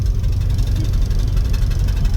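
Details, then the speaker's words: 1964 Dodge 440 sedan V8 on first drive in 15+ years at speed: heavy low rumble with uneven metallic rattle, two pieces of metal rubbing; water pump bearings known to be basically gone, suspected source. "That's a heck of a rattle. It is. We need to figure out, it's over there. Definitely 2 pieces of metal rubbing, and I do know the bearings on the water pump are basically gone."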